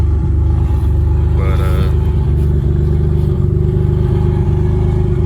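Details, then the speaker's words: 1994 Dodge Stealth R/T twin turbo: deep rough chuffing rumble puffing harder as revs climb; exhaust leak, exact source unknown. "So this is a stealth, and that exhaust leak is"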